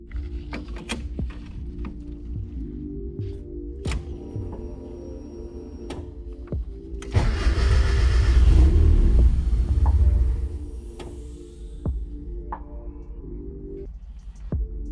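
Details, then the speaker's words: Turbo 1.6 Miata at first start after fitting an NB6 intake manifold, Skunk2 throttle body and -6AN fuel lines: catches and revs, then sags toward stalling; needs throttle to keep running. "feels like it needs a little throttle let me get it throttle a little bit here"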